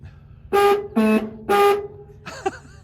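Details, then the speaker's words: 1977 Ford F150 4x4 pickup horn test: three short honks, with the middle one noticeably lower in pitch. The horns are suspected of being out of sync or only one working, which is unconfirmed. "You gotta press it. I don't know if they're not in sync or only one's working."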